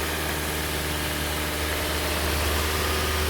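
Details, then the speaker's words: Hyundai ix35 2012 G4KD petrol engine, 124,000 km, on first start after rebuild for a piston knock (block bored to 0.5 repair size, new pistons, exhaust camshaft, oil pump, oil jets, head repair): smooth normal idle at 2000 rpm, no knocking. "все первый запуск удачный а ix35 у нас готов стоит на 2 тысячи"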